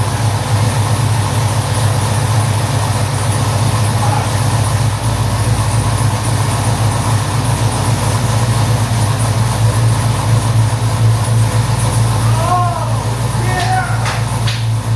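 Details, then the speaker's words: 2015 Chevrolet SS, LS3 V8 with BTR Red Hot cam and CHE trunnions, first fire after cam install: deep loping idle with uneven chop, a few beats per second, steady and strong; healthy aggressive cam idle. "Man, that sounds fucking awesome. Just had a successful first fire of my buddy Joseph's SS. 2015 SS LS3. It's got the BTR red hot cam, CHE trunnions"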